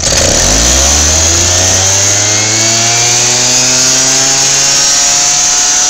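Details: Lawnmower engine on 10% ethanol gas, about 53°F outside: climbs quickly from a low hum to a loud, steady high-speed run on its own; owner believes the hot ethanol ignites from engine and plug heat, unconfirmed.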